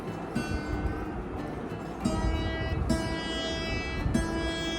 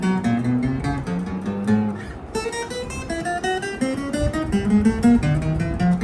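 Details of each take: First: Hagstrom acoustic guitar, nut not glued and too low on the first string; open strings rung with harsh, sitar-like buzz; string buzz from low nut, suggested fix is replacing the nut. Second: Hagstrom acoustic guitar with a low nut on the first string, played with a cardboard shim under that string: strummed and picked notes ring clear with no buzz, though it plays harder; buzzing returns without the shim.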